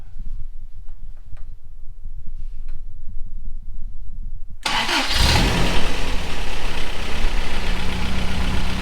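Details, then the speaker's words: 1985 Toyota 4Runner 22R engine, first start after the rebuild once the injectors were plugged in: cranks briefly, catches cleanly and settles into a steady, even idle with a deep exhaust note. Ignition timing was later found off. "There we go. That's what was supposed to happen."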